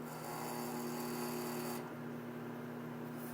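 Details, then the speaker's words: Philco Flat PMO28TF microwave oven running: steady low hum with a buzzy, rattly edge from the side panel vibrating. "E aí e é esse ruído aqui que não agradou E aí você consegue ouvir mas é de volta daquela Chapa lateral"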